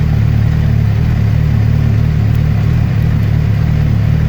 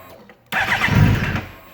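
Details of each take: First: 2008 Suzuki GSX-R600, rebuilt, that would not hold idle; after resetting the ISC valve learned value, it idles smoothly around 1,000–1,300 rpm with the clutch in and no FI code. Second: 2008 Suzuki GSX-R 600, freshly rebuilt, cranks, catches briefly and dies within a second, holds only with throttle held; fix was resetting the ISC valve learned value.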